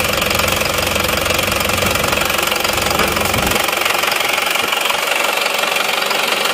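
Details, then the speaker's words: Isuzu Panther LS diesel, rebuilt four times in seven months, idles with a hard, rapid, regular clatter of about four knocks a second on an aftermarket 13 mm racing injection pump rotor head, before comparison with the standard pump. "ini hidupnya mesinnya masih pakai rh13 suaranya seperti ini nanti akan kita bandingkan dengan yang bospom yang standarnya ya"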